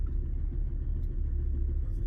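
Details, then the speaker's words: 2010 BMW X5 E70 30i going into limp mode with reduced engine power: a deep, lumpy idle with an uneven low beat, the car shaking, likely from a faulty ignition coil or spark plug. "like right now this car is like really shaking"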